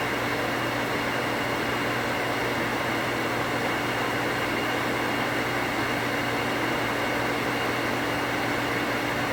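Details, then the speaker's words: 240 V well pump after rewiring with a new pressure switch (cut-off 10 psi higher): steady, even motor hum with constant pitch, no clicking or chatter while building pressure; short-cycling fixed, pump running normally. "let's turn it on and what i'm expecting it to do is to come on build pressure and turn off without chatter so far so good"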